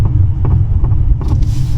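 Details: Mercedes-Benz C-Class over uneven road: low, dull clunks in uneven bursts from the right front. Confirmed by stethoscope test drive as a failed shock absorber top mount rubber; the right strut sat differently from the left. Fix: replace the top mount.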